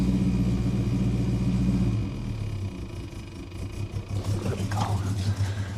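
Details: Holden HK petrol engine idling with a steady low rumble after a new heater box fit; earlier loud ticking now gone after coil lead was redone.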